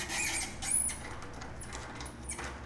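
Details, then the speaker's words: Rusted nut heated red to expand it, then turned: short high squeaks come and go as it cools and tightens on the bolt thread again; quenching with cold water can also be used. "and what that is it's starting to cool again and as it's cooling it's tightening"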